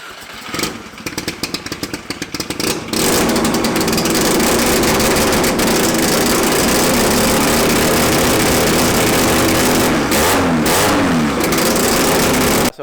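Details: Mazda RX7 drag car starting after its engine rebuild and reinstall; brief ragged cranking, then a loud, even, buzzy idle with a steady beat, starting and running cleanly.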